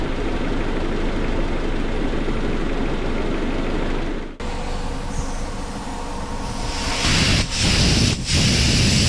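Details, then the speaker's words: Bone-stock Honda Civic CX hatchback (EG) with a freshly swapped stock single-cam engine; steady low idle, even rumble, no knocks or ticks, background noise rising later. Healthy, no check engine light. "Sounds good. Sounds freaking awesome. And no check engine light, which is sick as well."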